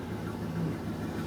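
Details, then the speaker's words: 1995 Formula LT1 (1994 engine), cold first start on a rainy morning, after new Opti, ICM, coil, fuel pump, plugs and wires: low even V8 idle, steady rumble, no stumble; idles healthy, misfire only beyond quarter pedal. "Idling just fine. It sounds good when it idles."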